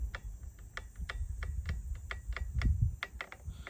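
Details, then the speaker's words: The unmodified trigger of a Traxxas TQi transmitter gives quick plastic clicks and short high squeaks on a slow, rough pull, recorded with a phone's built-in mic before being fixed for smoother throttle feel. "You can hear it squeaking. You can also see it's not a very smooth pull."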